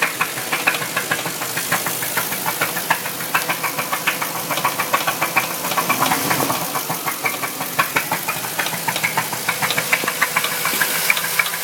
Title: bruit moteur v8 4litres